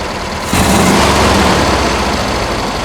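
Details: 1971 VW Bus 1600 air-cooled flat-four with newly installed dual carbs (34 ICT/EPC) and exhaust, carbs being balanced: picks up from a quiet start to a full even idle with steady exhaust beat, no misses; normal idle and rev.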